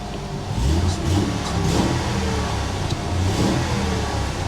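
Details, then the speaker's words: Mercury Cougar XR7 with a V6 at a salvage auction: it fires quickly, then a deep, smooth rev climbs and settles back evenly with no knocks or misses. Runs well, and the transmission engages forward and reverse. "she does run good"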